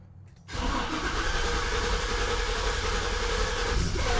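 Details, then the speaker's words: 2006 Chevy Silverado 1500 HD, 6.0, about 180,000 miles, after the key sat on two minutes: the starter chugs steadily but it won't catch. It's an intermittent crank-no-start with spark, injector pulse, fuel pressure present and no codes; it fires on the second try. "crank no start it tries to can't second try every time fires right up"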